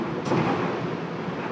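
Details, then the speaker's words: Amana dryer that stopped spinning, after drive belt replacement: soft even rumble of the drum turning with no thumps, squeal or scraping; rotation restored, no-heat issue still pending. "hit this magic button here and voila as you can see we got rotation now problem solved"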